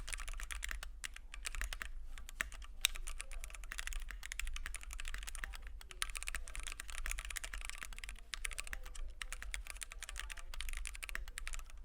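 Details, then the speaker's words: Keychron Q1 75% aluminum gasket-mount keyboard, PC plate, Gateron Phantom Red switches, lubed screw-in stabilizers, case foam: fast typing with soft, thocky keystrokes but hollow tone and faint metallic ping from case construction. "But we're still unfortunately plagued with its hollowness and pinginess of this keyboard construction."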